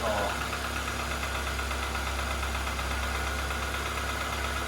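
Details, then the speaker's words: 2010 Ford Fiesta salvage car with crash damage, brief start with no radiator fitted and battery fresh off charge; steady even idle with smooth low hum, no knocks or misses: normal idle. "but sounds sweet as an art nothing wrong with that at all"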